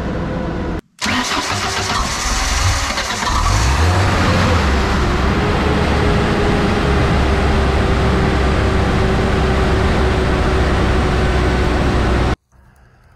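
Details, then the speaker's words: Ford LRG-425 engine in JLG 80HX boom lift, after repairs, half choke: brief starter whir, engine catches almost immediately and settles into a steady, even idle; starting issue fixed, normal quick start. "almost had it right away there my starting issue is fixed that is awesome"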